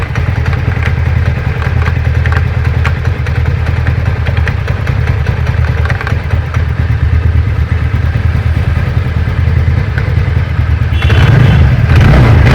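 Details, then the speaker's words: TVS Ntorq 125 BS6 scooter: fast, uneven light "kit kit" ticking over the idling engine, occurring on starting, sudden braking or slowing down; pickup also weak; ticking noise on deceleration, cause still unknown. "तो जब गाड़ी को start करते हैं अचानक से break मारते हैं या गाड़ी स्लो करते हैं तो किट किट किट किट का साउंड करता है"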